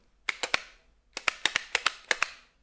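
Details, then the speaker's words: Xiaomi MIIIW pop-up card wallet holding six cards and a banknote: sharp clicky clatters in bursts of three to seven as loose cards slap inside the tray with each quick movement. "natomiast na minus nie wiem jak się to zaprojektował jest to że kartę w środku latają i to że latają to jeszcze jest mały problem największym problemem jest hałas który to wyzwala posłuchajcie sami"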